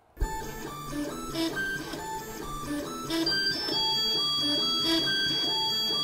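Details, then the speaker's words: Ortur Laser Master 2 Pro laser engraver with HR4988 stepper drivers using square-wave stepping: loud, musical R2D2-like beeping tones that jump in pitch with each move; normal stepper motor noise, machine working fine. "Yeah I had kind of forgotten what square wave stepping sounds like, but luckily I do remember again. And I kind of thought we moved past that time in history where all stepper motors sounded like R2D2s, but I guess that's not the case. Anyway, they work fine."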